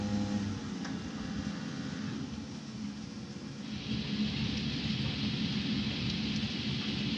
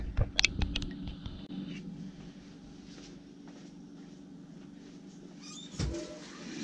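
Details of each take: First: Rinnai tankless water heater with error code 10, old blower running before replacement: a steady low rumble with a rough, gritty vibration at constant speed, and the code then appears. Owner suspects worn blower bearings. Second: Rinnai tankless water heater after cleaning bugs and debris out of the blower, which had been rumbling loudly and throwing error code 10: after some handling clunks, a smooth, even low hum with no rattle. Now runs quiet, as it should.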